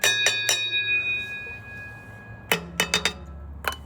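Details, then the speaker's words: Ford F250 5.4 3-valve on lift, comparing driver and passenger side catalytic converters: taps ring with a clear metallic ting that hangs after each hit; loose broken converter substrate causing the low-RPM rattle owner blamed on transmission. "Okay, this is the driver's side catalytic converter. And we come over here to the passenger side. This is the passenger side one. Do you hear a difference?"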